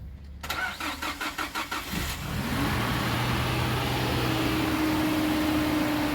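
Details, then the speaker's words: Nissan that stalled, lacked pickup and was hard to start, after the throttle body and cam position sensor were refitted: the starter whirs evenly, the engine catches at two seconds and idles smoothly on fuel with the gas switch open. Normal start. "তো আলহামদুলিল্লাহ গাড়ি start হয়ে গেছে start হচ্ছে মূলত এখন এটার গ্যাসের যে সুইচটা সেটা খোলা আছে গাড়ির তেলে চলতেছে স্টারে কোন সমস্যা নাই"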